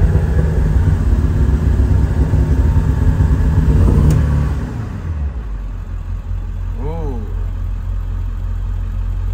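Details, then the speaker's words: 4x4 Ford E-350 Econoline 7.3 diesel, lack-of-power complaint: deep, dull, muffled rumble revving lazily with smoke from tailpipe; no power, EBP issue suspected, cause unconfirmed, no check engine light. "Oh, right now it feels like it has no power. Hear how muffled it is? Smoke."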